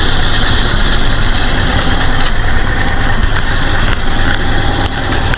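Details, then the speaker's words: 1998 Toyota Kijang LGX 1800cc, engine oil fresh with no coolant contamination, idling after start: steady, even low rumble with no misses, knocks or stumbles; normal idle. "Suara langsamnya normal-normal aja, tidak pincang, tidak berebet, tidak ada suara-suara yang aneh di kondisi stasioner seperti ini."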